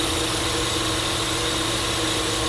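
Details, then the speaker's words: GMC V8 idling unevenly, low beat stumbling irregularly with heavy misfiring and engine shaking; one cylinder misfiring, checked with a scanner. "तो इसमें बहुत ज्यादा miss firing हो रही हो तो"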